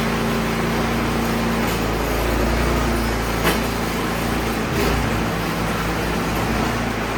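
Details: Troy Bilt Storm 2660 snowblower that wouldn't start, suspected old gas, after cleaning the carburetor and its pinhole-clogged emulsion tube: small engine runs at a steady, even speed without surging or stumbling; normal running.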